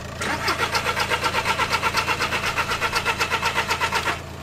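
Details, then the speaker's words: TDI 114 hp diesel van just after a gearbox change, with the turbo wastegate removed: even starter churning at about four pulses a second for four seconds, never catching. It cranks fine but won't fire; cause not diagnosed. "Je suis dégoûté. C'est la première fois que j'entends aussi longtemps un démarreur sur un TDI."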